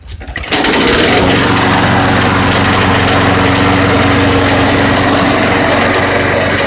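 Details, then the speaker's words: Roadside-found mower with a swapped engine, run for about three oil changes' worth without an oil change so the oil is very thin: loud running with a hard metallic rod knock every revolution, like a blade hitting the deck, though no blade is fitted. "so basically yeah that it sounds like it's the blade robbing the edge of the deck but there's no blade under there"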